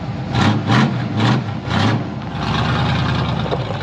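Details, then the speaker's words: 1970 GMC half-ton pickup V8: steady, even low rumble with slight lope, no knocks or ticks; good-running engine at normal idle. "the engine runs nice and smooth just sits there and prayers all day long no chicks no knots none of that stuff that is a good running good sounding engine"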